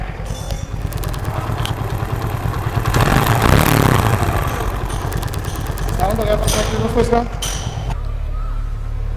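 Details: TVS Apache RTR motorcycle brought in for engine noise, started after repair: an even, steady putter of about three beats a second with no tapping or rattle. The engine sounds healthy.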